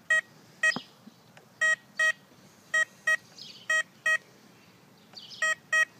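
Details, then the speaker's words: Tesoro Conquistador metal detector: pairs of identical short beeps at the same pitch for every target, since the machine has no separate tones for different metals. Normal single-tone response. "they have the same tone this machine does not put out separate tones okay"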